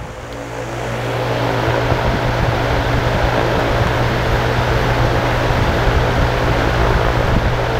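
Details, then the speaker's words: Dayton/Grainger 2MA11 24-inch fan after fitting a 15 µF capacitor: about 1130 rpm versus 1250 before, 65–70 dB; constant low hum with steady whir, only slightly quieter, still loud. "zoom out seems a little bit quieter could be my ears let's do an rpm test and we'll do a sound test"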